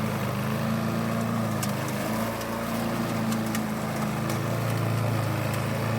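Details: 1988 Alco push mower, Briggs and Stratton auto-choke engine, running again after a non-start repair (diaphragm, a common issue), old blunt blade fitted: smooth, even drone under light load, no surging or sputtering; normal running.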